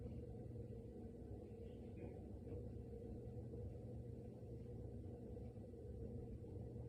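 A steady, deep, low rumble with no rhythm that runs the whole time; an unexplained fridge rumble, cause unknown.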